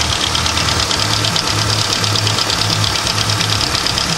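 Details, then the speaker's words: Hyundai Tiburon 1.8 L with aftermarket exhaust headers, rough idle: fast light ticking that follows engine speed and fades when revved. The owner was told it is lifters but is unsure, so the cause is unclear. "I'm trying to figure out what it is cuz you know I don't want the engine like blowing up or dying randomly so sounds like it's coming from there somewhere"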